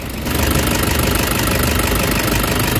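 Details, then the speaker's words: Toyota Hiace Commuter diesel: fast metallic ticking and cricket-like chirp over the clatter, sharper when accelerating, heard loudest at intake side near number 2 cylinder; metal scraping alongside a noisy valve train, valve train knock, black smoke noted. "So lalo na pag ina-accelerate mo, yung parang kuliglig na parang fuel knock na matining. So ibig sabihin bakal yun guys, na yun ang problema."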